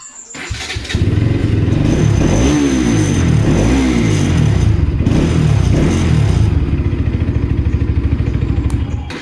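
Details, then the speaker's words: Bajaj Pulsar RS200 BS6 at about 204 km, started after cleaning the fuel pump filter to cure missing: starts at once and settles into a steady, even single-cylinder beat with no misses, cutting or power loss. "നമുക്ക് നിലവിൽ power കാര്യങ്ങളഒന്നും ലോസും കാര്യങ്ങള ഒന്നും കാണുന്നില്ല കറക്റ്റ്ആണ് ഏത് pump work ചെയ്യുന്ന കറക്റ്ാണ് filter clean ചെയ്തപ്പോൾ"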